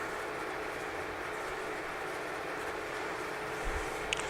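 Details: Used, freshly painted 15" x 42" LeBlond Regal lathe with 3-jaw chuck and four-way tool post, running in longitudinal feed: steady, even mechanical hum with a faint constant tone, no chatter or knocking; sounds healthy.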